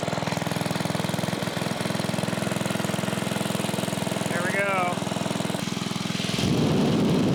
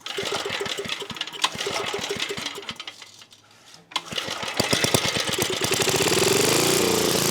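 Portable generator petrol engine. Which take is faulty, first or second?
second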